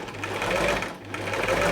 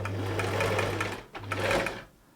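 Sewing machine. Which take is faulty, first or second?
first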